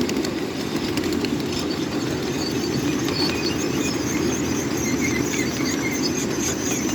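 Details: Coal-fired PRR N2s.a steam locomotive (Godshall Custom Machine) leading a train descending Sand Hill at Mill Creek Central: continuous harsh brake squeal and hissing over rolling rumble during downhill braking.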